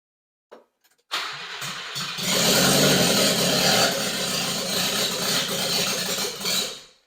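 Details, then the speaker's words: Subaru Sambar engine cranking after carburetor repair, with fuel pump connected; starter churns several seconds with ragged uneven beat but never catches; carburetor flooding the engine with raw fuel again. "yeah that's not good that's uh right on pure fuel again"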